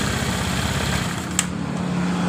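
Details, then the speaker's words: Honda Vario carburetted scooter, dead after an earlier engine rebuild/oversize, on a bottle fuel feed bypassing the automatic fuel tap: steady even idle with smooth continuous hum, no misses or knocks; runs normally, so the automatic fuel tap is at fault. "motor hidup dengan normal ketika kita lolos begini bensin perhatikan [Musik] motor hidup dengan normal"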